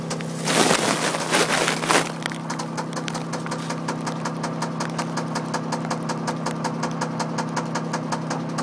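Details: MG ZT engine at idle with a sharp, regular ticking knock, evenly spaced and persisting after a brief rev; an internal engine knock of unknown cause.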